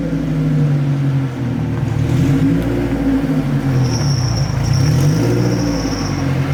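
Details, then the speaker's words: Honda race build on the road, heard while pulling: a steady high whine rising above the engine roar from straight-cut transmission gears. Normal straight-cut gear whine. "This car is so raw. Yeah. Can you hear Did you hear the transmissions? The Yeah. Yeah. Straight cut the gears."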